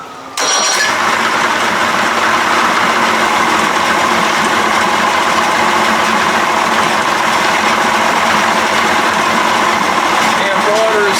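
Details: 1992 Johnson 60 hp two-stroke outboard after kill-wire repair and rebuilt remote box, primed and started with the fast-start lever: starts at once into a steady, even drone, no knocks, misses or surging. Normal running.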